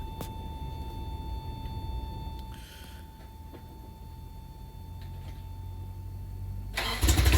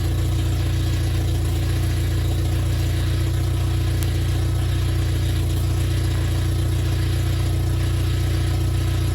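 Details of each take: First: Freshly rebuilt Toyota 4Runner 22RE petrol engine, first-gen, at first start: sounded a little weird at first then smoothed into a steady high idle, with the power steering pump whining (screaming). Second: Toyota 4Runner 22RE petrol just after engine rebuild, at high idle on first start: a steady whine from the power steering pump with air in the system, bled by turning the wheel.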